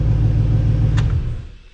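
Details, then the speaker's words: LS-swapped Chevy S10 Xtreme V8 at idle: deep, even rumble, then a clean shutdown with no misfire or knock. It starts right up and runs smoothly, with slight belt squeak (owner thinks the belt needs tightening); this is a normal idle. "listen to this it runs good it starts right up i don't smooth a little bit of belt squeak i think i need to tighten that belt a little more"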